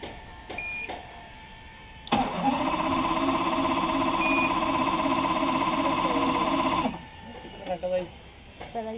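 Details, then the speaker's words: Evinrude 200 two-stroke outboard with spark and fuel confirmed and a suspect ground wire at EMM pin 22: starts only after fuel is put into the cylinder, catching briefly with a steady buzzing run for about five seconds before cutting out; hard starting, cause unknown. "probably going to take one or two fries to make the engine start but once it runs the engine works perfectly you can take it for a ride for 1 two 3 4 hours you got no problem"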